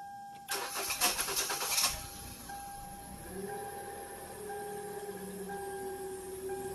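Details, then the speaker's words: 2013 Hyundai Elantra 1.8L I4, after a new fuel injector for cylinder four and a spark plug replacement fixing P0300/P0301/P0302 misfires: quick crank, then smooth even idle and rev, no misfire or check engine light. "I rev the engine up a little bit it's running smooth smooth so that was it one bad fuel injector that was messing up the engine along with one bad spark plug and we're done"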